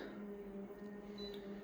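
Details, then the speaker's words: Konica Minolta copier just switched on making a low droning mechanical hum with an occasional high-pitched squeak; abnormal mechanical noise, source unclear. "just a couple of mechanical noises going together in unison from time to time you hear the little high-pitched squeak as well as this low-pitched version"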